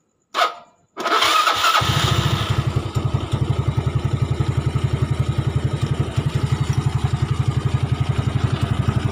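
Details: Yamaha Nouvo bored up to a 58mm piston with a 26 big skep carburetor, after tuning for severe lack of power and a starter battery fix: starter whirs, engine catches at once and settles into an even putter of about four beats a second; normal start and idle.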